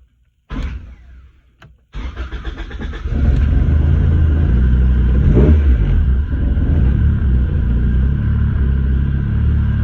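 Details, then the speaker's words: 1994 Honda Civic hatchback, hard starting fixed by replacing the ignition lock cylinder, testing push-button start: brief crank, quick catch, short rev then smooth steady idle with no knocks or misfires; healthy start. "Now I'm gonna try to see if the push button now actually works. It should start."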